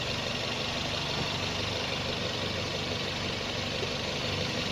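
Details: Toyota Vios first generation (2003–06) petrol engine idling with a slightly uneven, wavering beat, about three pulses a second; shaking suspected from a vacuum problem, not confirmed.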